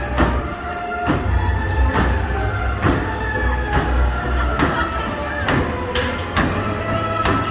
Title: great old horses carousel with awefull ticking noise